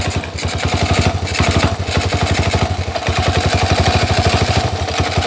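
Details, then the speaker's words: Jialing 85cc Chinese motorcycle (clutch like C70/Astrea 800) at idle: harsh, fast, even knocking mistakable for a connecting rod knock, vanishing when the clutch lever is pulled; loose clutch housing bolts, one of four missing. "penting disini koplingnya itu longgar bunyinya seperti ini saya akan dengarkan teman-teman seperti ini bunyi [Musik] nah marah sekali ya"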